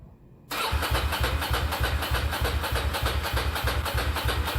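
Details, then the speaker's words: Ducati Monster 695 café racer, first start after custom rewiring, new ignition coils, HT leads and switches: the engine catches and settles into a steady, lumpy V-twin idle that is even and healthy, but very loud; owner thinks it may need more baffling. "wow that sounds good hahaha how cool is that"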